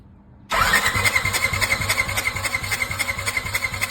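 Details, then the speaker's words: Polaris RZR engine cranked for right-cylinder compression check after BG EPR treatment and oil change: even ~3.5 pulses/s cranking with steady high whistle; right rose from 90 to a little over 110 psi, 20 psi improvement. "Again, yesterday was right at 90. Go ahead, Lori, crank it over."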